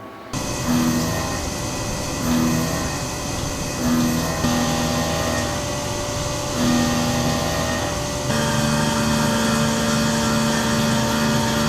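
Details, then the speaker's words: CNC milling titanium pocket-knife lockbars on a pallet fixture with drills, 1/8 and 1/16 inch end mills, chamfer mill and thread mill: a steady spindle tone, even cutting passes and tool changes, no squeal. A clean, healthy cut, though slight chatter occurred on one inside chamfer. "So everything on that sounded really good, and it looks pretty nice as well."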